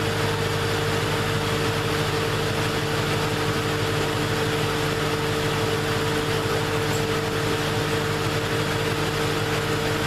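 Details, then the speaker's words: 2001 Ford Mustang Bullitt 4.6 2V V8 idling with A/C on high during refrigerant recharge for warm vent air and rapid compressor cycling: steady compressor hum with longer clutch-on intervals; compressor now cycling normally, low charge believed to be the cause. "Now as we're doing this, you can actually hear that the compressor's not coming on that much anymore. It's cycling the way it should, and it's definitely got longer intervals that the compressor is on, the clutch is on."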